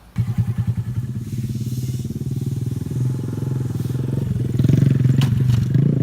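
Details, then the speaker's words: Honda Grom riding after lowering kit removed (2-inch fork spacers taken out): engine runs steadily, then a sharp metallic clack dropping off a curb; suspension clack persists, cause not found. "all right well you can hear whenever I took off the curb it still made that clacking noise"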